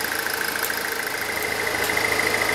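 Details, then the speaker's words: Pontiac Solstice at idle with defrost on, which engages the A/C: a light, fast metallic rattle rides over the engine once the clutch engages; the A/C compressor is the most likely cause and is then replaced. "now by doing kind of hard to hear that sound is like a rattling noise now what i've done is i've tracked it down to the heater controls"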